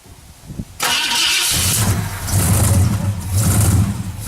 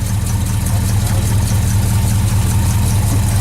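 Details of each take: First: 1968 Ford Galaxie, carbureted, cold start at night with hood off, pumping the gas; starter cranks on and on with a steady low churn and uneven surges, engine never catches; hard cold start. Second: 1968 Ford Galaxie V8, cold start at night with hood off after pumping the gas: deep, steady idle with a slightly uneven lope while warming up; nothing wrong heard.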